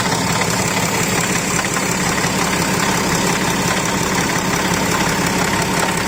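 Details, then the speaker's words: BMW X6, fan and some coolant hoses removed, starting before drive belt removal: steady idle with faint uneven whirring rotational churn loudest at front of engine on every start, source not yet pinned down; rotational noise from front of engine. "this is noise coming from the front of the engine every time you start the car you can hear the noise coming like a rotational noise"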